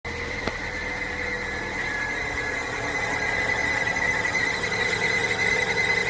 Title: Barulho na correia dentada